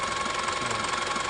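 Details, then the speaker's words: Engine recently serviced, rough idle blamed on leaking valves by another shop: even, steady idle with a smooth, unbroken note and no hiss or puffing, so the valves seal fine. "kalau kita bandingkan dengan suara mesin ini ini tidak bocoranteng k"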